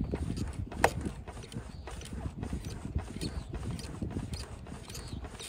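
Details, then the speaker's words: 2023 Electric Motion Escape R e-trials bike, about a month old: suspension pumped gives soft muffled thuds and light creaks, no hard metallic clunk after hand-tightening the three loose 8mm battery bolts on the left side. "it sounds pretty much gone away I'll tighten them a little bit more ah as soon as I get an actual tool on there will be good but that solved it"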